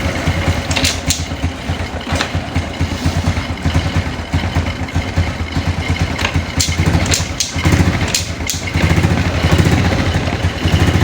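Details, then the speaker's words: Motorcycle just push-started in 4th gear, now in neutral warming up while charging the battery: steady low thumping idle with a few throttle blips, firing even and unbroken; normal cold idle. "kita netralkan, kita panaskan. Otomatis ini sudah mengisi."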